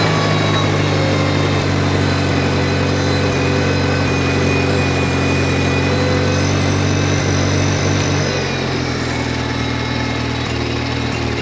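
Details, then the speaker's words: 1953 Farmall Cub, which had been cutting out after a few seconds, after carburetor cleaning and reassembly of its badly warped carb with two gaskets, not filed flat: steady, even idle at about four beats per second, no stumbling or surging; runs smoothly. "sounds good even with a warped carburetor two gaskets running great so i don't plan to file that down"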